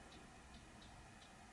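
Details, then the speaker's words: Dell XPS M1530 laptop hard drive during boot attempt; faint, evenly spaced light ticks about every third of a second, like it keeps seeking. Suspected damaged drive or corrupted or missing files. "I don't know if you can hear that the hard drive is making a weird noise like it's searching for something"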